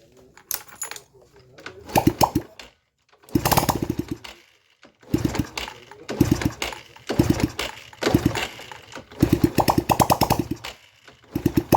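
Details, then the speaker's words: Yamaha Vega R four-stroke single after valve lapping for lost compression, spark plug just fitted, exhaust not yet installed and valve cover open: sharp, raw open-port pops in short bursts of revs; it fires cleanly and runs again. "Oke Kang Bro, jadi motor udah mau hidup. Sekarang lanjut kita pasang knalpot dulu, terus nanti kita coba cek lagi setelah apa namanya terpasang knalpot."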